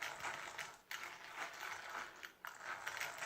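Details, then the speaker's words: Dry metallic ratcheting chatter from an A959B RC car's geartrain, newly converted from plastic to all-metal gears (plastic casing and diff case kept), spun up and down while held in hand; the new metal gears are not yet bedded in and still need a high-speed run. "And I'd say I still need to give it a good high speed run to mesh the gears."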